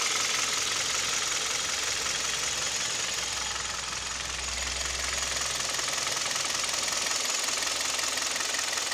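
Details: Kia/Hyundai Theta II G4KD petrol engine at idle, recorded from inside the cabin, owner reports piston knock and vibration: fairly regular light ticking knock about three or four a second over a hissy idle; knock at idle, cause unconfirmed.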